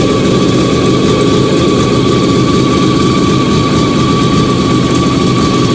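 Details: Fiat 125 (Bialbero) on CNG with a newly installed carburettor gas injector and the original air filter, just started. Steady even idle, smooth low drone and constant mid tone, no misses, knocks or hunting. Normal idle.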